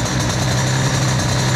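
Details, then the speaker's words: 2Fast 70 two-stroke moped engine with new cylinder and Boost crankcases, during break-in, cold start at about 15 degrees without choke: quiet, steady buzz with even beat, no knocks or rattles; clean normal idle, quiet enough to talk over. "Même pas de starter. Vous entendez ce bruit? Je peux même vous parler."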